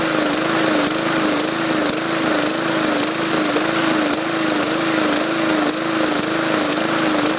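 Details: 2014 MTD 20-inch push mower, 300E engine, main jet drilled out to 0.6 mm; steady drone rising and falling about twice a second, hunting surge that raising RPM didn't cure; owner suspects too much fuel from the enlarged jet.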